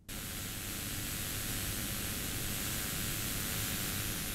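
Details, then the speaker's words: Studio monitor speaker with no signal, mic gain at max close to the tweeter: steady, even hiss with no hum or crackle, inaudible beyond a few inches; noise floor isolated to the output power amplifier chip. "might sound loud but really I can't hear it from here I've got to put my ear a couple of inches away before I can hear that"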